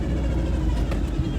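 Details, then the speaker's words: V8 truck after the exhaust leak was fixed, which used to pop and sound choppy when revved: deep, even rumble with no popping or chuff from the exhaust; sounds sealed and runs smooth. "Before I would rev up and it would go pop, pop, pop, like it would pop all ugly because of the exhaust leak, and now it didn't pop at all. It sounded real good."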